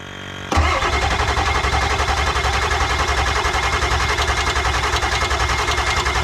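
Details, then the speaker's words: Ford F250 7.3 Powerstroke diesel after injector replacement, on a jump box after glowing: starter cranks steadily at about 3–4 compressions a second for six seconds, never fires. Suspected cranking too slow from insufficient cold battery power. "I think we need to turn over faster I think we should get the other battery and sit on it uh the other battery and the jump box and get the thing spinning over a little faster and see maybe if that works"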